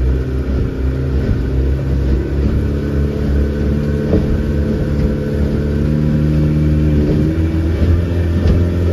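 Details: Mercury 90 hp outboard on a Shetland 535 on the sea after the spark plug change, full throttle, about 60.9 speed once trimmed: steady strong drone, pitch rising slightly with trim; running cleanly as it should.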